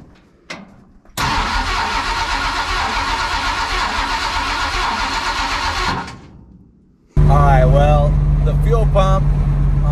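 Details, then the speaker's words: Big block Ford 460 in a 1956 F-100 at first fire-up, open headers with no mufflers, fed from a gas jug; catches and idles steadily about five seconds, then fades and stalls; failed mechanical fuel pump, replacement ordered. "she ran for a couple seconds and then the fuel pump just went to the pooing"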